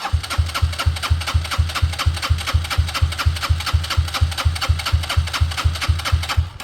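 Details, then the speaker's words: Motorcycle fuel pump during a 10-second flow test into a container: crisp, evenly spaced clicking about two per second with a solid thump each stroke; pumping strong, though output looks about the same as the other bike. "So, I don't think that looks more than the last one. Although the good thing about it is it was definitely pumping strong."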